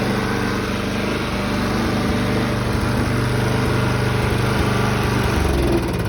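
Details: 2011 Toro Personal Pace 20333 mower, B&S 190cc single-cylinder, after carb rebuild, new spark plug and coil re-gap fixed not staying running: steady, even beat, no misses or surging; normal running.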